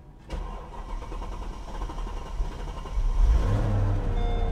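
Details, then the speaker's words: 2005 Mercedes-Benz SL500 (R230) Copart car with a flooded trunk, first start after replacing blown and corroded fuses, nearly out of fuel: starter cranks steadily a few seconds, then the V8 catches with a rising rumble and settles to an even idle. "starts can you believe it the car effing starts"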